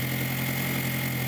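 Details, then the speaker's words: 2002 VW Jetta 1.8T with straight-pipe exhaust, previously rough, stalling, low power with EPC light, just after fitting a new Kaiser diverter valve: smooth steady idle with even drone, no stumble or hiss apart from exhaust backfiring; much better. "Here, it sounds a lot better, except for the backfiring from my straight pipe exhaust. Sounds like it should run."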